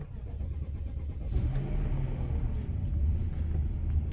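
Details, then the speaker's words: 2005 BMW 745Li V8 after sitting almost two months, leaking oil and power steering fluid, possibly low battery power (lights flashing), low on fuel: labored, slow churning crank before catching after about 1.5 s into a low rumble; hard start, cause unconfirmed. "not sure if you guys heard that but it did struggle quite a bit and obviously got a low on gas so we're just gonna let it run for a little bit"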